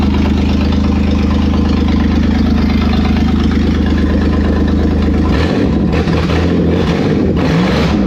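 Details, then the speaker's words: Toyota 4Runner 3VZ-E V6, first start after repairs for no compression on two cylinders, no exhaust fitted and vacuum lines not yet connected: loud raw bark, steady low idle and throttle blips, running on all six or at least five cylinders. "okay I'll say it runs and it runs on all six or at least five of them"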